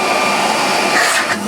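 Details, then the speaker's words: 1934 Electrolux Model 12 vacuum cleaner after refurbishment, motor previously clogged with grease, run on a 110 V transformer from 240 V: steady even rushing airflow with no rattle, scrape or pitch wobble; good suction, running normally. "It is whisper silence. I'm amazed the motor turned before. It was so clagged up with grease and ever so horrible it was."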